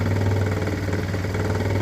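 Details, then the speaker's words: 2016 Ford Expedition with a customer-reported rubbing noise: steady low idle with a fine buzzing rattle on top from a fuel line vibrating on top of the tank, stops when held, sometimes at idle or light throttle; line needs securing. "And yeah, when it's running, I hear a noise. To me, it's a vibration. Look at that. It's a fuel line"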